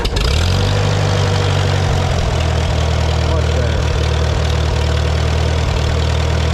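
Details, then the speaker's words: Farmall B tractor after radiator, governor, gasket and alternator belt work, warm day: steady, even low-pitched idle with smooth rumble and no ticking, after alternator bracket moved up to stop fins ticking; engine sounds healthy. "i just had to move this bracket up a little on the bolt because these fins were ticking i think it'll be better now"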